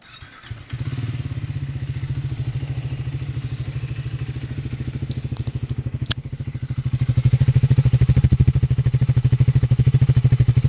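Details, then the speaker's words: Single-cylinder motorcycle from a Triumph Speed 400 vs Royal Enfield Guerrilla 450 comparison, idling after a choke-assisted cold start. An even, deep thump of about three beats a second that picks up slightly and stays clean. Normal idle. "Hopefully you can pick that up quite well on the microphone. It sounds pretty nice. It sounds not too dissimilar to what my Bonneville sounded like before I changed the exhaust."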